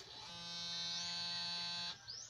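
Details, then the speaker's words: Yamaha Mio i125 fuel-injected scooter that dies mid-ride, with regulator and battery already replaced: the fuel pump gives a steady, high electric whir for about 1.5 seconds, priming normally, while the check-engine light flashes. "So mayon ng tunog yung motor. May tunog na."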